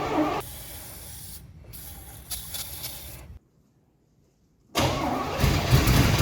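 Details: 1982 Pontiac Trans Am 305 V8, unrun for 12 years, air cleaner off before spraying carb cleaner: the starter churns at about four beats a second, stops, cranks again, but the engine never catches; crank, no start.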